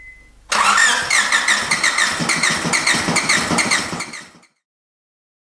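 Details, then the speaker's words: EF sedan after an MPFI swap, with the distributor just installed: it cranks, catches, then runs ragged with uneven, lumpy firing before dying; two dead cylinders traced to a faulty cheap eBay distributor cap. "went to go start it and it didn't want to run right so I kind of got got it to start and run but it was only running like two cylinders so I got to looking at it pulled some plugs I had two dead cylinders"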